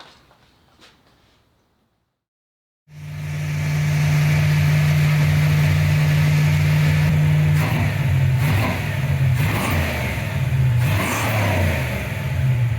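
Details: 1995 Ford Mustang GT, Ford 302 V8, after swapping in a new manifold, rebuilt carb, fuel pump and gas tank; a loose plug was found and timing set. Fires, settles into a smooth even idle and revs cleanly, now running on all 8 cylinders.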